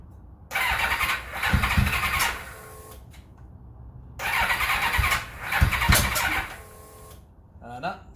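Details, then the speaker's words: 1991 Kawasaki ZXR750 turbo build, no-start after fitting a new battery: two short rough bursts of cranking that die away with no catch; a weak battery was suspected but it is no better, and the plugs will be checked next. "no better so we have to dig a bit deeper I've tried a jump a battery a few other things"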